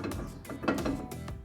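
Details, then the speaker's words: Car jacked up with wheel turning, irregular metallic clunks and rattles from the wheel; cause found to be a loose brake caliper, loose brake caliper rattle. "esse barulho ó ó tá ouvindo né Vocês vezes é coisa simples resolver tá bom problema estava escuro e freio ele tava solto entendeu"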